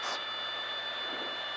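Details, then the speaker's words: Small airplane slow flight at about 40 knots with full flaps and near full power: steady high stall warning horn sounds continuously over cabin engine noise, near stall. "isn't that something wow hear that style warning horn coming yeah look outside we're almost going backwards"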